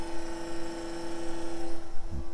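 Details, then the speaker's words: Cummins-swapped Jeep YJ: with the key turned on, the AirDog fuel lift pump, wired temporarily to switched power, gives a steady electric hum for under two seconds, then cuts off, followed by a couple of thumps; normal priming. "We have it jerry rigged through here, just getting power. So, and it's switched power. So when I turn the key to the on position, you can hear the pump."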